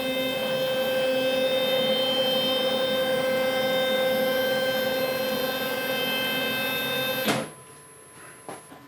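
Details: Ponder Labs Saturn 2 4x4 CNC router, newly secured to a wood platform, gantry traversed forward during a dial-indicator check: steady, even motor whine with high ringing tones, cutting off sharply at the end of travel. Gantry traverse noise.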